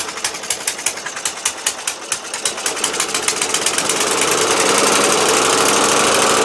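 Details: Murray LT widebody lawn tractor, Briggs 12.5HP flathead, with fuel flowing: slow even pops about four a second catch and speed up into a steady, fast running beat; runs fine, stays running.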